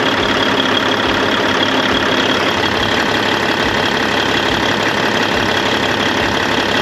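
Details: 1998 Freightliner Classic, Cat 3406E diesel, after replacing injectors and cups (fix for fuel dumping into oil at idle), injectors set at 52.32, fresh oil, 68 psi oil pressure: even regular idle clatter, no miss or heavy knock; normal idle.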